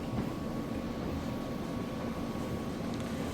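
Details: Refurbished Kenmore electric dryer on max dry, warming up in its first minute with a clean lint trap: a steady, even low rumble from the tumbling drum and a faint constant blower hum. No knocks or squeals; running normally.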